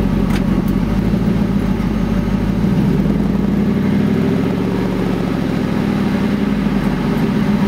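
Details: Engine power-braked under load, with a fast, light ticking starting about 34 seconds in over the drone, then shifted back into drive; owner suspects an exhaust leak, unconfirmed.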